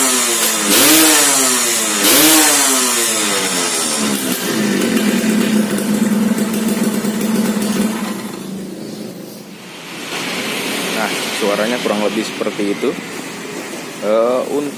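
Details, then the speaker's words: Restored Suzuki Satria two-stroke underbone with ported engine, tuning said okay though stock gearing makes it too aggressive; crisp revs rise and drop back cleanly in repeated blips, fast pickup, no misfire; normal revving. "Ini motor sudah hidup lemes suaranya kurang lebih seperti ini Dengerin dulu ya"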